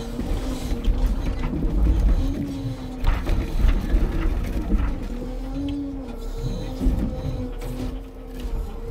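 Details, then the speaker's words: New crane on a Scania timber truck loading birch logs in winter: wailing whine rising and falling over the hydraulic pump drone with clanking between, hydraulic oil noise; crane has a damper system. "मैं उस भयानक रोने की आवाज को छोड़ दूं तो वास्तव में इस नई क्रेन की एक आवाज है जो मुझे वास्तव में पसंद है, यह खर्राटों की तरह है, हाइड्रोलिक तेल मुझे पता है मुझे पता है कि यह आवाज किस वजह से होती है, लेकिन मैं नहीं जानता इसे अंग्रेजी में कैसे बोलें."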